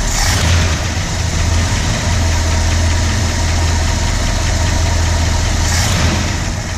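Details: 1965 Ford Galaxie 352 FE V8 just started, at idle: steady idle with a light quick tick about three to four per second; ticking source not yet located.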